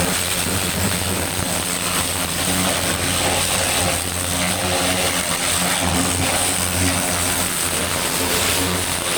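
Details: Vintage David Brown 990 diesel tractor, revived after 20+ years abandoned, clutch freed: steady even chug with high-pitched whine on top, constant speed, no knocks or misses; running smoothly.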